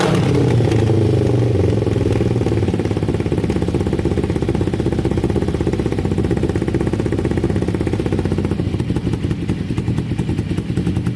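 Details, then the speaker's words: Kawasaki cafe racer twin revved up; revs drop back slowly and hang above idle before settling; idle had to be turned down. Owner suspects carburettors need tuning, likely air-fuel screws or balancing, unconfirmed. "The revs are hanging a little bit. I think the carbs need a touch of tuning. It will probably be air fuel screws, maybe balancing."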